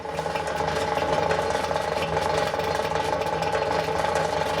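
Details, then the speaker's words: Vintage Westinghouse fridge, rewired and running and getting cold: loud, steady droning hum with a buzzy rattle on top, clearly noticeable while running; compressor vibrating on worn mounts. "this thing here yeah he actually makes some noises you definitely know that fridge is running that's for sure"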